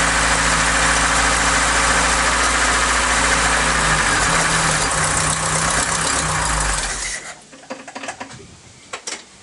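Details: Mk3 Ford Cortina Estate carburetted petrol engine that kept cutting out. After the carb screws were reset it idles with a slightly lumpy, pulsing beat for about seven seconds, then is switched off. The idle is still uneven.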